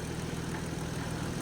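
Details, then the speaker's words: Crusader idling about 10 minutes after a new turbo and different spark plugs: steady, even low idle with a constant buzzy vibration from solid mounts, never missing; normal idle. "Alright, I've had it running for about 10 minutes now. Hasn't skipped a beat, doesn't seem to be worried by the different spark plugs."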